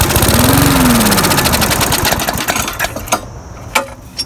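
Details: Murray mower that ran fine four days earlier now won't start on pull cord, with water suspected in the gas tank: a brief sputtering catch fades out, leaving slow cranking ticks. No-start from water-contaminated fuel.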